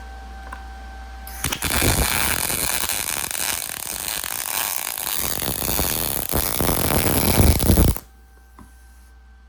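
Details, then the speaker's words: MIG welder powered through a Taramps 12k car amplifier at 120 volts, set to 16 volts, uphill weld: steady crackling sizzle for about six seconds with no sputtering or dropouts, arc burning smoothly. "my god, it did it just fine. No problems."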